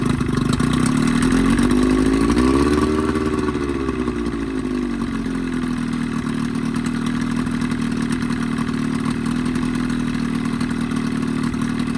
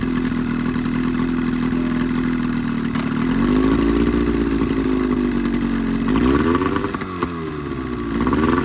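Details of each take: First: 20hp Evinrude two-stroke outboard modified to 25hp, after a full service with head cleaned, new thermostat, gaskets, plug wires and primer seals: uneven run rising and dipping with throttle, coughing and spitting; lean misfire, cause suspected, not confirmed. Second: 1985 Evinrude 20hp outboard modified to 25hp two-stroke, after a full service with new primer seals, reeds, thermostat and gaskets: a steady buzzing note that rises and falls smoothly with throttle blips, no stumbling or misses; healthy running.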